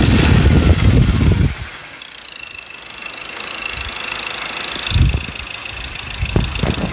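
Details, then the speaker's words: 2.2 diesel free-revving in the shop after injector repair, no coding needed: rises cleanly on quick throttle blips and drops back without flutter or knock. Normal free revving. "เดี๋ยวเดี๋ยวเราจะไปทำทำการทดลองเร่งนะครับว่าเสียงเครื่องมันจะกระพือมั้ยเสียงเครื่องจะมีการเขกมั้ยในขณะอ่าเร่งตัวเปล่านะครับ"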